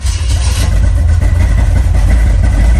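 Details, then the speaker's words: 1987 Oldsmobile Cutlass at start-up: heavy, uneven rumble with a low beat that wavers instead of settling into a smooth idle; running rough, fuel low but owner says not low enough to explain it. "so I when I when I started it up I was having issues with it starting up the way it's supposed to so I was thinking it was just low in gas which it is but it ain't it ain't low enough for it to be acting like that"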